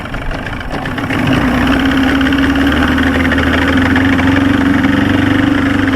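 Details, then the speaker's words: 1995 Force 40 hp outboard mounted on a boat, after rebuild work for water in the cylinders: running rough with an uneven, lumpy beat around three to four pulses a second and a wavering tone; owner suspects air trapped in a pump or timing, unconfirmed. "she's running but she's got that lump to her if you can hear it I'd hate to rip it apart again but I'm going to have to fix see if it's not like air trapped in a pump somewhere if it's not like a timing thing or something weird like that"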